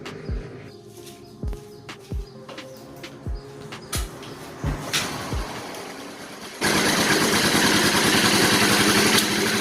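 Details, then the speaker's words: Yamaha Mio Soul scooter with a rough, very noisy engine, started before teardown; after cranking clicks it runs with a harsh, clattery roar from a worn top end. "nah seperti itulah bunyi mesinnya ya teman-teman"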